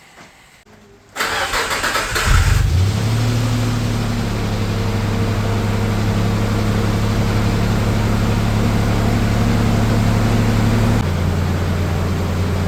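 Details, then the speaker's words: Nissan Navara VG30 engine after swapping in used lifters from another motor, distributor refitted: cranks, fires easily, settles to steady idle with faint light tapping still present; ticking at idle not cured by lifters, cause still unknown. "Alright, fired up pretty easy. Unfortunately, I'm pretty sure I can still hear the noise just idling, so I will drive it regardless and see if it sounds the same, but I'm pretty sure it's going to be the same."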